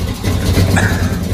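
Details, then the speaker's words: 1979 Ford V8 being deliberately destroyed: a spark plug wire is dead, leaving it running on seven cylinders with a deep, uneven lumpy idle and a stumble in the low thump, a misfire. "По сути, у нас только провод свечи зажигания сдох, хуже уже не будет."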